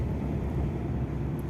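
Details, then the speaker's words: Toyota Fortuner on a road test after the front wheel bearing was replaced: steady low road rumble at speed with no hum, growl or rhythmic drone from the front corner; the bearing noise is gone. "ये देख सकते हो blue 30 है और उधर से कोई भी नॉइस नहीं ए रहा ये देख सकते हो"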